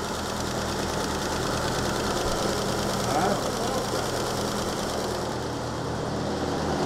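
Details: 1938 Chrysler Imperial straight engine, parked for decades, idling steady and even with no knocks or misses over the hiss; penetrating oil smoking off exhaust, not flooding, good oil pressure, running healthy.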